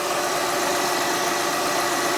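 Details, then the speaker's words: 2007 Honda Odyssey EX-L at idle after replacing the serpentine belt and tensioner: smooth, even hum with no chirp, squeal, rattle or belt play, and the belt runs evenly around all pulleys. Normal idle. "it's pretty smooth no noise nothing no play whatsoever this is the noise of the real motor right there"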